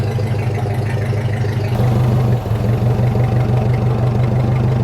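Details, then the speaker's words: 1950 Ford 8N tractor just after a cold start, throttle eased back to warm up: deep, steady thumping of about three beats a second settling into an even, healthy idle. "And then you're going to push the starter. Once you hear it get started, you just kind of get that throttle pushed back in nice and slow until you hear it. And then from there, just let it warm up."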